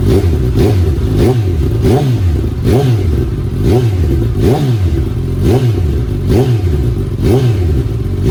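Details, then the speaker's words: 2019 Suzuki Katana 1000 indoors with an M4 muffler, restrictor baffle removed: a loud open exhaust blipped over and over, revs rising and falling cleanly about every second. The engine pulls smoothly and is healthy. "But the most important thing now is to hear the sound without the restrictor baffle in. So here we go again."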